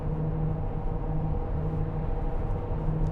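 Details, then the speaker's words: 2008 Land Rover Discovery 3 2.7 TD V6, 104,372 miles, at 70 mph in sixth gear: steady low hum swelling in pulses under road noise; worn wheel bearing, drone stops as soon as the steering is turned to load the wheel. "apart from their droning wheel bearing noise it's fairly quiet as soon as you turn the wheel noise goes off"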